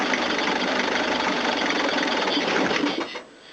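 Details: Toyota diesel cranking after a fuel filter change with the pump not working: steady fast starter churning, about 3.5 turns per second, no firing; air in the fuel lines, injector lines may need bleeding.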